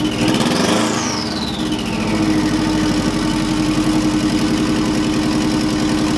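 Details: Subaru EJ205 swapped into a Honda CRX, fresh first startup on a stockish setup: settles into slightly lumpy uneven idle, no misfire; owner unsure if timing or fueling, maybe needs tuning. Rough idle.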